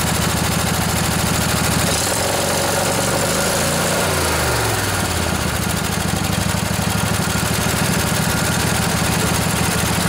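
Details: Junkyard Briggs & Stratton Intek OHV twin (20-22 hp, model 40777) in a Husqvarna riding mower, fired after new carburetor and service: catches, revs briefly, settles into a steady even idle with no misses or knocks; normal idle.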